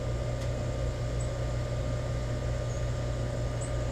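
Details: New Rheem EcoNet 3-stage inverter system, heard indoors as the indoor unit ramps to high-stage fan: even low hum with steady fan rush and inverter whine, no knocks or rattles; normal, quiet compressor ramp-up.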